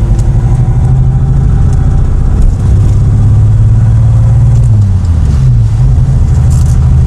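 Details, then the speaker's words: 1963 Rover P4 110 on the road: an uneven, stumbling beat in the exhaust note instead of a smooth drone, a misfire. "shame it's misfiring cuz I think it would sound quite nice if it wasn't for that"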